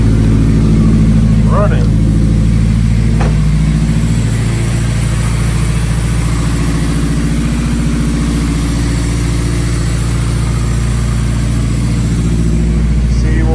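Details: Turbo K-series Honda Civic EP3, just after transmission rebuild and CC twin-disc clutch install, battery reinstalled: engine catches and settles into a smooth, steady idle with even low hum, no knocks or misses; no fault codes, runs healthy.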